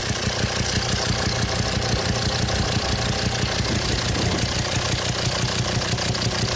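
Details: 2007 Volvo XC90 D5 185 bhp diesel idling with sharp popping about twice a second, louder with intake opened at throttle body; sheared hydraulic lifter socket on a cylinder 5 exhaust valve leaves it stuck, pressure backfires through intake valve. Fix: replace cylinder head.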